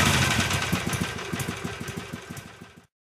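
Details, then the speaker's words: 2006 Harley-Davidson Sportster 883 after 1200 conversion with new cams, more restrictive carburetor jet, Screaming Eagle exhaust and intake: loping V-twin beat about three pulses a second, swelling slightly with light throttle then easing; tame, slightly deeper idle tone; normal healthy running. "As you can hear, the idle's pretty tame. I barely raised my voice. And once you give it a little gas, it still doesn't sound extremely exciting."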